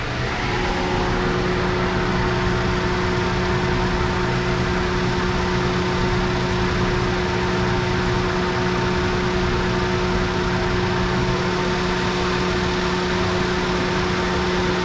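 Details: 2009 Lincoln MKZ after misfire repair and codes cleared: steady, even idle hum with a constant low drone and no misses, stumbles or ticks; engine runs smoothly.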